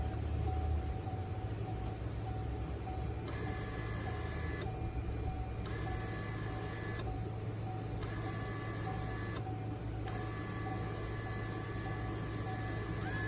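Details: Wiper motor and transmission test after reinstalling the linkage arm, top screw not fully tightened, switch hooked up before the cowl goes back on; the motor whirs in four clean one-to-three-second bursts with no grinding or catching, so the wiper drive runs properly.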